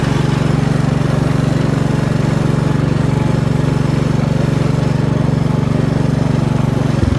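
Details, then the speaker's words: Gravely 432 with rebuilt Kohler K321 single-cylinder, just started and still cool: even steady thump about three beats a second, no knock yet; after about two minutes it heats up and knocks, owner suspects bore/piston or connecting rod. "but it runs perfect I mean you heard how great it ran but it just heats up after about two minutes and starts knocking"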